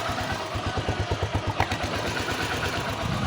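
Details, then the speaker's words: Honda XR150 after fitting a replacement clutch body paired with a new balancer damper: even low putter at idle and a clean throttle blip, the earlier clutch-side clatter gone. "So kanina maingay nung pagpaandar pa lang natin. So dito goods na."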